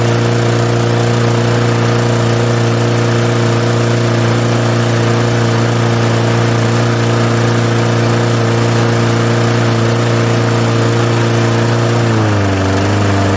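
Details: 1998 Murray 20506x8a push mower, auction find, throttle on rabbit, no working kill switch: small engine holds steady, even drone at high throttle, then note drops smoothly near end; running well.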